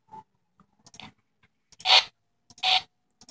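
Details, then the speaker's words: Alienware M14xR2 laptop: irregular bursts of harsh hissing crackle and clicks from the speakers with silence between; failing onboard audio chip, fixed by replacing the motherboard. "sounds like the alienware is trying to communicate with the the mothership or something"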